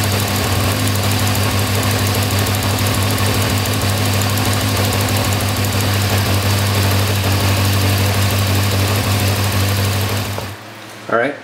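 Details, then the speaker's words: Air-cooled four-cylinder motorcycle, carburetors tuned with a wideband O2 sensor: idle with a slightly uneven loping beat on cylinder 4. It started out lean and the mixture was richened. "So this one started out it was pretty lean, so I richened it up quite a bit."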